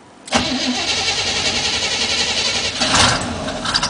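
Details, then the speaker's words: 1977 Chevy K10 stepside truck, unstarted for a week or two, about 30–35°F, two pedal pumps: brief crank, catches at once into an even fast cold idle with a small blip; healthy cold start, oil pressure low but slowly rising. "I gotta move the truck, so I might as well start it up for you. Hasn't been started in at least a week or two. So give it 2 pumps."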